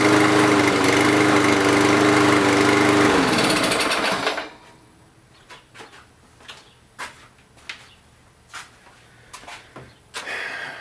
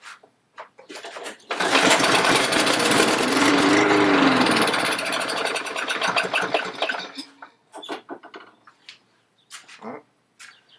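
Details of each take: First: Walk-behind lawn mower, small single-cylinder engine that had been starting then stalling, running after water cleared from the carburetor; air filter off; steady, even buzz before shutdown; running normally. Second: Lawn mower that stopped mid-mow, with compression and fuel present: catches on the pull, revs raggedly a few seconds then dies; suspected water in the carburettor bowl starving it.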